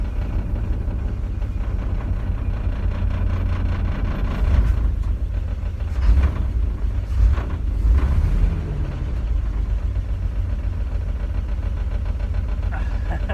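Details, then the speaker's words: S10 Blazer that sat for five years, first start after a new Delphi fuel pump replaced a dead-on-arrival Walbro, with the fuel filter replaced: low, steady idle rumble with a brief rev blip, settling back to an even run; it idles normally. "I can hear the fuel pump prime. Yes! It worked! It runs after 5 years, it runs!"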